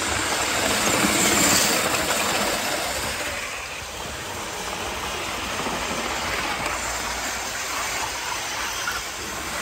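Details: 1980s Hornby APT model train after a ringfield motor upgrade kit replaced its worn armature; a steady whirring hiss with a quick, even clatter of wheels over track. The new motor runs healthy and smoothly.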